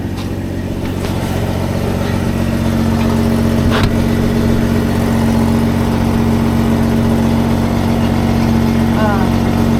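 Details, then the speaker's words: Rover P4 at idle with new steel exhaust fitted (old silencer joint had been blowing): steady, even idle with a deep droning exhaust note, no puffing or ticking. "well I'm sure you want to hear what the exhaust sounds like before I uh remove it and fit the new one so I'll go and start up"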